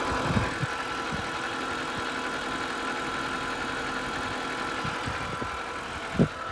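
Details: BMW E90 N52 petrol engine at idle: a steady high whine, suspected from the oil filter area, present even with the AC off, plus occasional dull knocks. Both are worse at cold start and occur only around idle.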